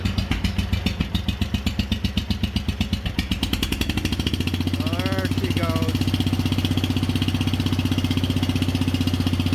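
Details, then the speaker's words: Wheel Horse 857 garden tractor just started cold on choke, first time in two years: slow, uneven loping thump about four beats a second; idling low and rough, running rich, owner thinks it may need carburetor work. "o she's idling kind of low let's"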